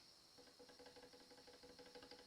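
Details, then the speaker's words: Mexican Fender Jaguar with buzzing frets; a precision straightedge spanning three frets rocks with faint quick ticks because the middle fret sits high at the bass-side end, which can cause a dead fret. "So if you cover 3 frets, the theory is if this fret is high, or this fret is low, or that fret is low, it will rock. It will rock and make a ticking sound."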